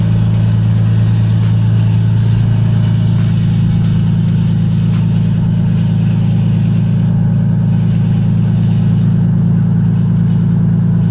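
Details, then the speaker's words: Lexus IS300 just started after sitting two months: steady, even low idle with smooth rhythm, no knocks or ticks; sounds healthy. "so as you guys hear the the is is on I'm pretty excited that I get to drive it again and just hearing it again after a while it's just it's it's it's a great feeling"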